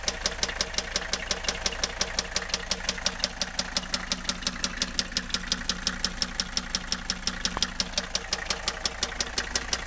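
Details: Warm Mercedes W123 300TD wagon OM617.952 turbo diesel idling with no glow plugs connected, sharp steady knock about three times a second: rod knock, bearing hard surface gone, confirmed on teardown, not top end.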